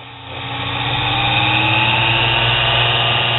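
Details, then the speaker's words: Lathe DC motor after brush and belt repair with a new Gates belt; the hum climbs from about half speed to full speed with little difference and a soft, even belt whir, no slapping or slipping. "that's about half speed that's full speed there's not a whole lot of difference"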